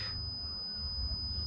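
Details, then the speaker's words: Lay-Z-Spa Bestway Airjet pump unit (older 4-wire model) thermal cut-out tested with a multimeter in continuity mode: clean steady unbroken beep; cut-out conducting and intact, not blown. "a solid beep that means that it's making a connection and that means that that is good"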